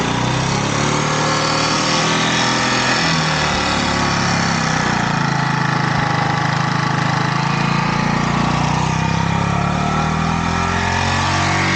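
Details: Yamaha YZF R125 under crash-damage rebuild, idling during a check of the road-scraped exhaust for holes or smoke: steady, even idle with no puffing, ticking or hissing; no gaps, cracks or leaking fumes, exhaust only needs a new sleeve.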